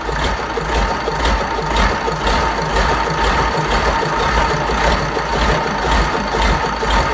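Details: Fordson Major tractor with a Perkins V8 diesel, first start after a long time with tick-over being adjusted: steady, even idle with a regular beat of about two per second and no knocks or misses. Runs healthy.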